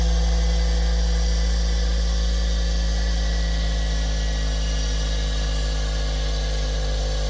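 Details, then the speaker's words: Bench grinder, after rewiring its switch because it had smoked while switched off: a steady, even motor hum with no grinding or rattle, running normally. "And there we go. It's working. That's what it was."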